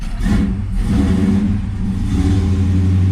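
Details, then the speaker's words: 1973 Camaro Z28 V8, manual, in neutral, first start in months after installing Howards hydraulic roller cam, roller lifters, new timing chain and shorter pushrods: catches at once, smooth even rumble, no ticking or knocking; normal cold start. "It started up right away. Nice. Wow. That's so smooth."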